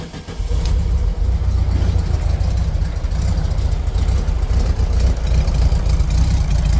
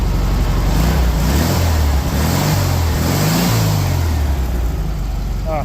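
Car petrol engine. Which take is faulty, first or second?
first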